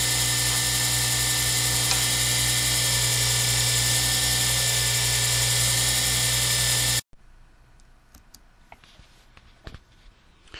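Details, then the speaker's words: Lathe turning a circuit board pen blank for a Zodiac pen kit: steady even motor hum, no cutting chatter or squeal, winds down to quiet after about seven seconds; plastic cut nearly silent; normal. "As you can tell, there's almost no sound of turning. You hear the engine, the motor of the lathe running, but you really don't hear me going across that plastic at all."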